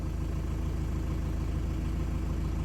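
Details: Fiat Ducato diesel van, after replacing the in-tank lifter/sender fuel pump over a lumpy hot start and priming the system: steady, low chug at idle with an even beat, no misses or knocks; normal idle.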